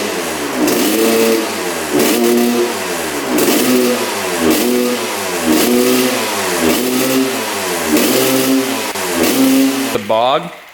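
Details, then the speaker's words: 1986/87 Honda CR125 two-stroke on 40:1 premix, first firing after a new spark plug and freeing a stuck throttle slide; revs rise and fall, then sag and stumble at full throttle. Rich bog, possibly a clogged pipe; owner may try a different main jet. "but sounds pretty good but you can hear that bog at Full Throttle so you know we could try different main as well"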